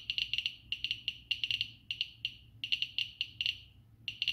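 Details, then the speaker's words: Geiger-Müller counter board, Arduino Uno, Nokia 5110 LCD; alpha source next to GM tube, reading 540, almost 1 µSv/h; rapid irregular sharp clicks in bursts, several per second, strong reaction to radioactive source. "540 so it's almost one micro sievert per hour this is just an alpha radiation"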